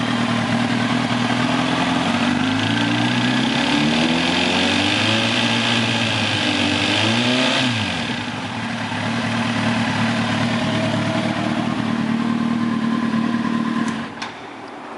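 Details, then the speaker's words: 2006 Kawasaki ZX-10R, 17,568 miles: light ticking appears only under slight throttle and stops when the throttle is released; suspected rod knock, bearing, timing chain or tensioner, unconfirmed. "when the motorcycle is on it doesn't tick but when you accelerate it a tiny bit you can hear the knocking"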